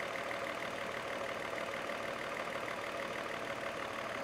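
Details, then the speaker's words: Mercedes M110 engine with Bosch K-Jetronic, after new fuel injectors, hot start after sitting about 20 minutes (previously a problem): it starts right up and idles quietly and evenly with no misses, stumbles or knocks. "look at that it started right up and Idols fine listen to that baby"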